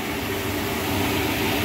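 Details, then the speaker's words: Lochinvar boiler after blower motor and housing replacement (old motor bearings going bad), burner lit: smooth steady fan rush, even mid-pitch hum, no rubbing or bearing growl; normal blower operation, no adjustment needed. "It doesn't look like I'm gonna have to adjust that. It's just gonna work. That's the way I like it."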